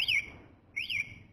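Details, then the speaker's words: BHT motorcycle alarm with vibration sensor sensitivity set to level 5. Two quick high warbling chirps sound as the alarm is activated. Normal arming confirmation. "nah bunyinya tititit lima kali akan itu berarti sensornya udah aktif"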